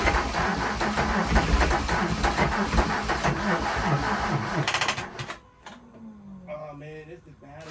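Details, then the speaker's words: VW Jetta Mk3 VR6 12V after engine swap, alternator suspected not charging: starter drags engine over slowly, about three labored turns a second, then quits; battery lacks juice, charger connected in start mode. "that's a battery you know we don't we don't have a battery uh juice that's why it's doing it like that so we just going to grab this we just going to give it more juice"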